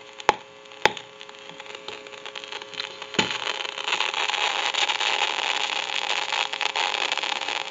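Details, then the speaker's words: Northern Electric Galion rotary telephone handset: crackling, hissing static that swells and worsens, from a too-noisy worn carbon granule transmitter needing replacement. "you can hear that crackling static and it can get worse the longer it goes along"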